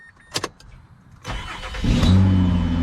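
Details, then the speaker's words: 2006 Mazda 6 V6 automatic, after starter replacement: a few clicks, then brisk crank that catches within about half a second and settles into even idle; normal cranking and start, repeated on second try. "it works hey look it works a second time too"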